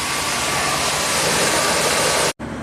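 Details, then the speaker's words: 2000 Dodge Dakota V8 on a test drive after a cluster wiring repair: loud, steady hiss over the engine that cuts off sharply, fluid spraying from a leaking transmission cooler. "Truck still has some life left in it. It just has to fix the uh transmission cooler leak."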